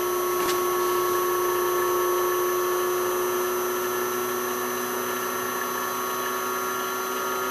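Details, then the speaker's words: South Bend lathe motor on a VFD raised from 60 to 70 Hz, overdriving above the factory motor's rated speed: a steady, smooth hum with a clean constant whine and no knocks or grinding. "so there you can see i'm over driving it so i'm actually going above the speed of the factory motor"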